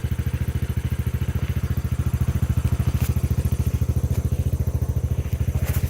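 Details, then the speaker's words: 250cc Hammerhead go-kart, once non-running with a dead battery and broken throttle, cranked with no throttle after basic repairs: a low, steady thumping idle at about three and a half beats a second. Smooth idle, no longer shaky as before. "Wow. Yeah, it's even running better. Like, it was really shaky before. Now it just sounds smooth."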